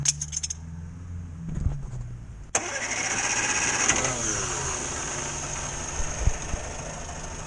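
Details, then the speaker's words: 1962 Morris Minor with suspected ignition fault after breakdown, just after tightening a loose part: brief crank, fires at once, settles and revs cleanly with no stumbling or misfire; sounds all right. "sounding all right so we'll see what happens next"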